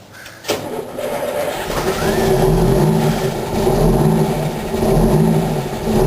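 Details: 1987 Wanderlodge PT40 rear-engine 8V92TA Detroit two-stroke diesel, first start in about 5 months, cold, camera held outside: a short, slightly slow crank (prime lost, minor battery problem), then it catches and settles into a deep, steadying rumble; runs great.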